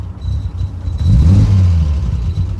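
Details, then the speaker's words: Triumph TR6 driving: low, lumpy rumble that sags and stumbles at idle; idle set too low, fuel possibly old (owner suspects); otherwise has fuel, oil and battery. "the idol set a little bit low I have to do something about that"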